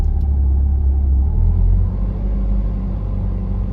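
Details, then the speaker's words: 1992 Nissan 240SX S13, SR20 swap, idling around 1300 rpm; deep steady rumble well above normal idle, easing slightly, tapping gas sometimes brings it lower. High idle, owner suspects idle system fault, parts on order to diagnose. "it also idles really high um you can see right now it's like 1300 rpm if i sometimes if i tap the gas i can trick it to being lower"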